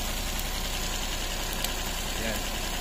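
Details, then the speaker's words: Suzuki DA64 minivan, K6A engine, with low power, running a lumpy idle with irregular knocking pulses two or three a second; pulling each coil points to one faulty ignition coil pack causing the misfire. "So yan so possible problem is itong isang coil pack natin number"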